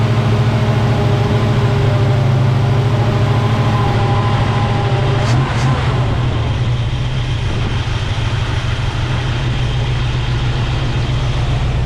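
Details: 1975 Chevy C10 with 454 big-block V8, carbureted, just after a new fuel pump restored fuel delivery: deep, steady idle with an even lumpy beat, no misses or knocks; normal idle.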